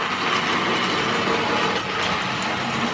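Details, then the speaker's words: Vintage Hornby Tri-ang train set locomotive at full speed: loud, rough, gritty whirring with uneven rattle, very noisy; contacts were dirty and dry, running improving as it goes. "yeah so as you can hear this is really noisy really loud but you know it's just the area what it came from"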